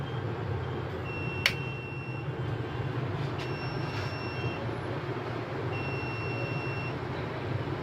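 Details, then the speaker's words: UPS kit with overload set to 700 W, 100 W of bulb load removed: a few thin high buzzer beeps over a low steady hum, then quiet; the unit restarts within about 5 seconds once overload clears. "ये आवाज़ आ रही होगी बजर की। 5 सेकंड में हो जाता है ये ऑन।"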